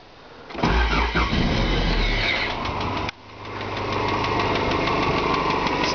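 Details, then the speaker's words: 1987 JDM Toyota Celica 3S-GE, 300,000 km, on 20W50 oil with STP additive: it starts and idles with a sharp, steady ticking from the top end (lower head), about three a second. Shim clearances and springs checked fine and compression is good; a broken spring is presumed. "it's coming from the top end we presume that they're being broken down spring or something like that"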